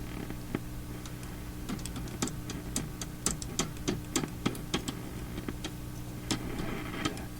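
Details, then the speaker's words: Philips Sonate BA581A tube radio under repair: irregular sharp crackles and pops, several a second, over a low steady hum; intermittent crackling very sensitive to touching components, owner doubts this spot is the cause; source not yet found. "i don't think it's the cause of the crackling very sensitive something i'm just barely touching these things now"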